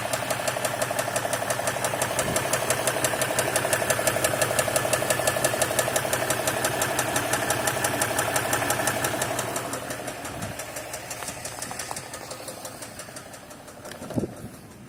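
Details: Stock 2016 RAM 1500 EcoDiesel, 25,000 miles, dealer-maintained: idling with fast, steady knock over diesel clatter until shutdown; bottom-end rod knock suspected, appeared suddenly.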